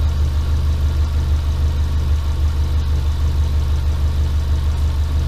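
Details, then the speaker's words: Subaru Impreza boxer engine rebuilt with SOHC heads, first start after over 2 years, warming up before thermostat opens: steady even low rumble, no knocks, misses or ticks; very low load on scan tool, check engine light on. Normal idle. "So I'm going to let it sit and idle for a little while, let some of this stuff smoke off, try and get the thermostat to open up, make sure my coolant's topped right up, and then I think we'll call it a day."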